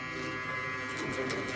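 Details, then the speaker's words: Tormach CNC mill, newly installed fogless coolant mister: its solenoid valve gives a loud steady electrical buzz with a harsh edge when coolant is switched on, because the solenoid is wired to the wrong terminals. "um it did did make kind of a humming sound it's kind of noisy not sure not sure if that's normal it's a little bit loud"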